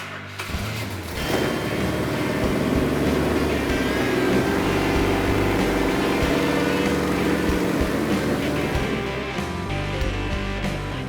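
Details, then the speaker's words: Rebuilt 426 Hemi for a 1970 Charger R/T, first fired on an engine run stand, choke set slightly rich; strong, even V8 beat with no knocks or ticks: normal healthy running. "After the engine was assembled and ran, it just sounds wonderful and no problem with the engine."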